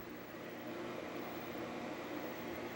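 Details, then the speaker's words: Fan in the base of a 6ft fiber optic Christmas tree, reassembled after repeated servicing: soft steady whir with light airy hiss, no rattle or grinding; running quietly for now, though noise soon returns. "it seems to be functioning fine and it's quiet huh"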